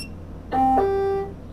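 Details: Hover-1 Alpha (H1-ALPHA-BLK) electric scooter switched on after throttle replacement that fixed a throttle error. A single clean two-note rising chime under a second, then quiet; normal startup with no error.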